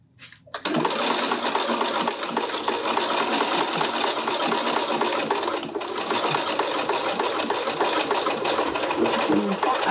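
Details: Sewing machine sewing a 1 cm seam along piping through a growing, thick pouch assembly: fast, even needle chatter with no stalls, thumps or labouring. Normal stitching.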